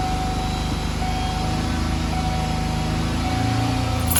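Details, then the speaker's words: 1994 Ford Ranger in neutral holding a steady high idle around 3,000–3,500 rpm with no throttle, gas pedal moving freely; caused by a faulty idle air control valve. "As you can see, I'm not touching the gas pedal whatsoever. It doesn't really come down if you do it. It stays about 3,000, 3,500."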